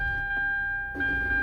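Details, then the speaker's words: 2008 Hyundai Sonata, 136,000 miles, in Park/Neutral just after starting: loud high-pitched grinding whine as the starter tries to engage the moving flywheel; goes away in Reverse; bad ignition switch, fixed by replacing it. "so that was the grinding noise that you heard that that was the the starter trying to engage the moving flywheel"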